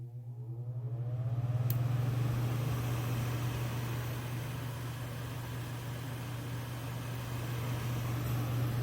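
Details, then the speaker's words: Dometic 13,500 BTU non-ducted RV air conditioner in a camper, fan only on low: a click, then the fan spins up within two seconds to a smooth, even low hum and airflow rush; running normally. "So I'm going to go ahead and start it up on fan only first, on low."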